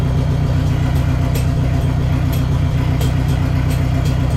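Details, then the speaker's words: Neon SRT-4 first start after clutch master cylinder replacement and new plugs gapped at .032: steady, even low rumble with regular firing pulses, no knocks, misses or hunting; clean idle, clutch still needs more bleeding. "all right starts runs flaps Ting Ting Ting"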